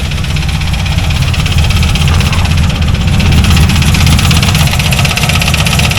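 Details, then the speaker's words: C4 Corvette V8 idling with a loose rattling knock about four times a second; rockers checked okay, owner unsure whether it is the engine or transmission, possibly bottom end (connecting rods). "I suppose I can fire it up real quick. [Music] And that rattling [Music] fuel to it. [Music] I can't tell if it's up here."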